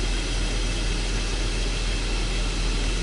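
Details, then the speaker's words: BMW engine started cold after repair, idling with a steady, even hum and no knocking, ticking or bearing noise; normal idle. "c'est quand même agréable quand le moteur il ne fait aucun bruit et bien sûr il fait du bruit parce que c'est un moteur mais taipei pas de bruit désagréable de roulement de choses comme ça"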